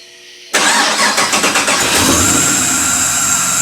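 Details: 1991 Porsche 944 S2 with LS 6.0 V8 swap, just after cam swap, no water pump or radiator fitted: catches after a few cranking pulses, rough idle with loud steady high-pitched hiss from the idle air control valve; tune needs much work.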